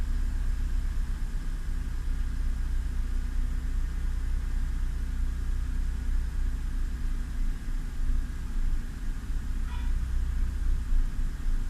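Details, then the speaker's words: 2000 Honda Civic petrol, cold engine; low idle rumble that swells and fades as revs drop and rise by themselves, with sputter/misfire; IACV already replaced, cause unknown. "the idle suddenly comes down and then goes up by itself."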